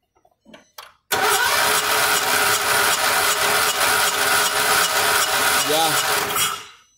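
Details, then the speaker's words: Volkswagen Saveiro lacking power, compression test while cranking: the starter spins the engine at an even rate of about two and a half beats a second; that cylinder reads about 100–105 psi, low compression. "este tiene 100 aproximadamente como entre 100 105 psi lo que se me hace raro es el ruido que se escucha un ruido así como de otra vez de la marcha"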